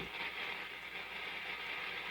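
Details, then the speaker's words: Restored antique Philco 46-480 AM/FM/SW radio on the FM band with no antenna: steady hissy static across the dial and no station comes in; it needs an outside or good antenna. FM static only. "But it's trying, right? You can hear it trying. Just picking up noise."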